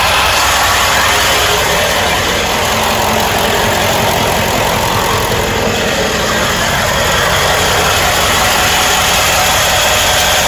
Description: 1995 ford e350 7.3 powerstroke. strange loose noise. Will randomly go away. And when driving it goes away. Only at idle and certain rpm will it come back.